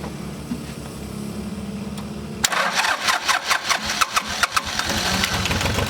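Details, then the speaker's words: 1988 John Deere 950 diesel tractor after a fuel filter change and bleeding: cranking, then it catches with ragged, uneven puffs that stumble before smoothing out; owner suspects a small amount of air is still in the lines. "okay i suspect there's probably still a small amount of air in there that hopefully will work its way out"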